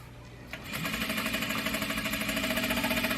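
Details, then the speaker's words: Juki DDL-8700 industrial sewing machine running fast; a machine hum with regular knocking about three times a second as the whole table wobbles and rattles against things beside it. Table rattle from vibration; an oil pump sound is also mentioned. "is that when I get to going really fast it'll start the whole thing will start wobbling and you'll hear"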